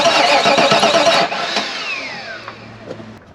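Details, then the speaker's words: 1994 Pontiac Trans Am GT, stored in a barn since 2005, cranking steadily at about three and a half turns per second with the fuel pump not running, then the starter drops out; no spark. "well we still do not have fire which isn't necessarily a bad thing"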